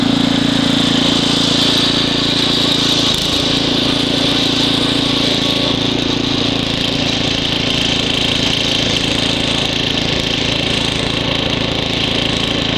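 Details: Ariens ST724 snow blower throwing snow, started first pull cold; main jet slightly richened for cold. Steady, even drone under load, no surging or hunting; normal running.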